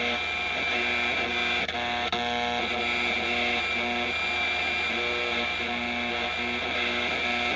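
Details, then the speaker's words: Vintage tube AM radio, fully recapped and aligned, run through a variac with volume slowly raised: constant mains hum under hiss with buzzy pulses about twice a second, baseline noise from household appliance interference. "now it's a very noisy set if I had just purchased this set or had brought it home from a repair shop and I was a general consumer I would be wondering what in the world is wrong with this radio"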